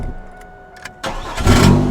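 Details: Chevrolet Camaro after fuel pump relay and PCM troubleshooting: short crank then a quick clean catch into a steady idle with no stumble; starting normally.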